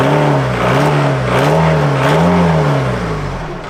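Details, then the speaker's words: VW Golf GT TDI diesel revved after turbo replacement, intake refitted, no boost and no engine lights: wavering low drone with faint rising whir; horrible noise persists, cause still unknown. "Right, that's that intake back in place. Let me see if it's still making that horrible noise."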